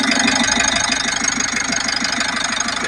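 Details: Mitsubishi L300 Euro 4 diesel after a broken wire was replaced to fix a dash blackout and no-crank no-start: steady idle with an even beat of about three firings a second, no misses; runs cleanly.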